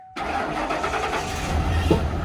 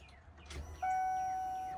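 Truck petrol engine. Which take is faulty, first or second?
first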